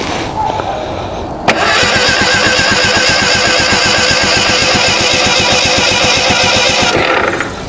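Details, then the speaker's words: Ford Pinto-engined kit car, sitting outside since 1995: starter turns evenly about four beats a second for five seconds, no catch; cam timing later found way out. "So, what had happened was somehow another, I don't know how I did it, but I had the can time way out of whack."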